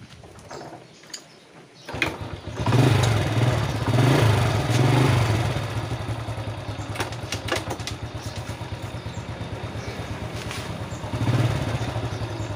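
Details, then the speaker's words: Honda Dream single-cylinder motorcycle, normal reference before clutch repair: starts and settles into an even, steady idle that holds without stumbling or stalling when put in gear while stationary; normal idle in gear. "อันนี้คือเราปกติมันจะไม่ดับนะครับรอมันจะหมุนก็ต่อเมื่อเราเล่นเครื่องนะครับมันถึงจะไปนะครับแต่ถ้าเราไม่เร่งนะครับรถมันจะไม่ไปนะครับนี่คือสภาพปกตินะครับ"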